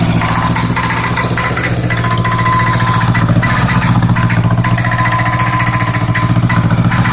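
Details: Honda Goldwing GL1100 flat-four at a lumpy idle, with plug wires pulled one at a time (No. 3 stalls it, No. 2 makes no change, smoke only from the right side): an uneven rattle ticking over the exhaust beat at about three per second, coming and going. Source unknown.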